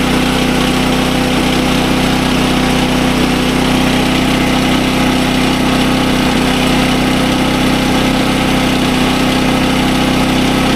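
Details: SDMO 5000W generator, Briggs & Stratton engine (about 18 hp), after repair, now putting out good voltage (about 140 V, slightly high); loud steady buzzing drone at constant speed, no misses or surging; normal running.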